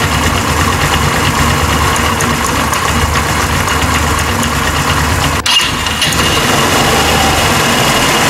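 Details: Italika WS-150 single after replacing crankshaft and its bearings: steady idle thrum, one brief dip, no bottom-end knock or rattle. Normal running.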